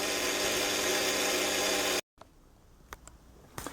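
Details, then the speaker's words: Zanussi ZBF 560 X oven timer whose clock keeps resetting to 12.00: harsh steady buzz from the timer relay, coil starved of voltage; suspected failing class X2 capacitor in the capacitive (wattless) mains dropper supplying about 12 V. "Now I found the buzzing noise is actually coming from this relay, and there's usually only one reason a relay buzzes, and that's because there's not enough power to the coil."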